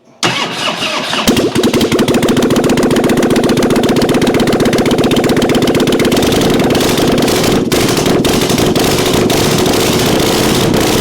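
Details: 1997 Harley-Davidson Springer Softail after carburetor work with accelerator pump now squirting fuel: quick crank, catches cleanly, settles into loping, even V-twin idle about four pulses a second, no stumbles; carb fixed, running properly.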